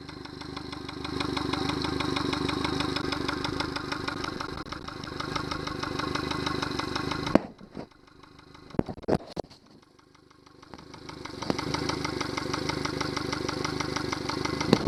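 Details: Yamaha 70 hp outboard idling roughly with an irregular knock about three times a second, running then stopping; fuel starvation because a Honda fuel connector was used instead of the Yamaha one. Knocking at idle from fuel starvation.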